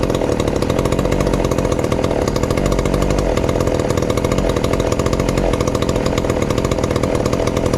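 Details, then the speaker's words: Ported 2375 chainsaw, low-compression build, running on pump gas before methanol; loud, even high-revving buzz with crisp burble; runs cleanly. "i'm gonna fire it up if it will here today on the pump gas just to maybe have a comparison of how it sounds"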